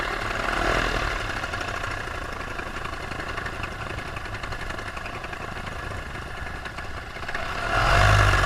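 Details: Paramotor two-stroke in flight, throttle held wide open: steady high drone with even RPM and no dips, surges or misses. This is the normal full-throttle baseline, recorded before the engine later began losing power and bogging.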